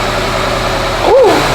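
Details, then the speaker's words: Honda Prelude, rebuilt H22A4, after spark plug wiring was corrected following hard shaking from misfire: steady, even low idle hum with no stumble, only slight vibration left; running normally. "now that's what it's supposed to sound like we got some vibrating but it ain't as bad as it was"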